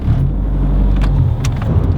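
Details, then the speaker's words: VW GTI accelerating, heard from inside the cabin after installing Torque Solutions stiff motor mounts: deep, even engine drone comes through strongly; exhaust note unchanged, just more engine noise transmitted; sounds good, normal. "This thing sounds like a real car now when you accelerate. It didn't change the exhaust note, but inside the car I can actually hear the engine, and it sounds good, dude."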